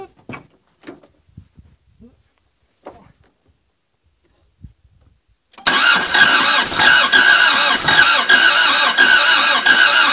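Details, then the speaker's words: Toyota MR2 AW11 after cleaning injectors and distributor: long steady even churning crank after a quiet lead-in, turns over but won't fire, though closest it has come; smoke seen, owner thinks from exhaust or intake; cause unconfirmed. "man you guys that's the closest it's ever been"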